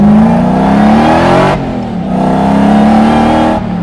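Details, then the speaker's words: Supercharged drift truck with replacement louder supercharger and pulley two sizes larger, accelerating through gears: loud clear whine rising each pull, dropping on shifts; supercharger whine working as intended. "Oh yeah. That's what I want from a supercharged drift truck. That's what I want."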